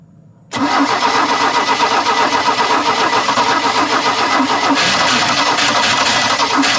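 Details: 1986 Larson V175 Seneca 17 ft ski boat, freshly gapped plugs, fuel poured down carb, weak junkyard batteries: loud steady cranking about four turns a second, never fires; crank no start, cause unconfirmed.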